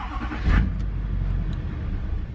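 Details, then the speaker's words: 2006 Duramax diesel pickup with low miles, stuck in limp-mode gear with ABS and brake warnings; after the glow plug light, it catches with a sharp burst, then sags into a low, uneven rumble; engine stalls after starting. "starts and it dies and it starts almost dies sounds like crap"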